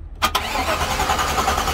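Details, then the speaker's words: Rough, ragged run after a brief cranking burst with no steady beat, from an engine described as blown; it sounded bad for the short time it ran, and smoke was then seen near wiring, possibly something shorting. "yeah it fires up that's for sure oh man that didn't sound good for the uh short amount of time it ran but no uh i mean the engine's blown"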